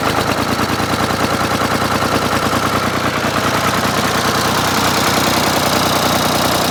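Steady, even diesel clatter at idle with all three cylinders firing cleanly and no missing beat; tractor engine running healthy.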